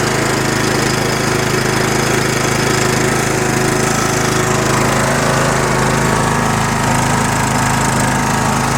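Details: Toro 20 hp 42-inch-cut riding mower with 425 twin-cam engine, 196 hours, found free with no-crank fault fixed by a fuse: steady, loud single-cylinder chug at constant speed, no stumbling or knocking; running normally, though smoke later seen from muffler area (suspected mouse nest).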